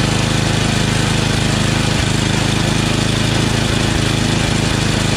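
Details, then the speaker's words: Yard Machines 8HP Tecumseh snowblower that surged, hunted and wouldn't prime, after carburetor (632334A copy) and fuel line replacement, idle screw raised: fast even single-cylinder beat at full throttle, no surging or hunting; running properly. "new carburetor i just over the idle a little bit through the idle screw here as you can see it doesn't surge anymore it now primes with the primer button full throttle no sir and"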